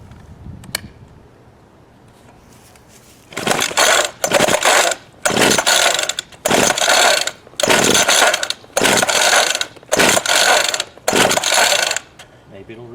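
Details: Craftsman 19-inch 25cc two-stroke gas hedge trimmer with brittle, cracking fuel lines and gas of unknown age: briefly ran and bogged, then about eight raspy recoil pulls roughly one per second never catch on restart, cause not confirmed.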